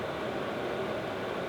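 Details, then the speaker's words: VEVOR 5 kW diesel heater at full output: steady even whoosh of fans and combustion air with a faint mid-pitched hum, no rattles or surges; running normally, just pretty loud. "Um in general, uh uh and then, you know, at full blast it is pretty loud, just the fans and everything else."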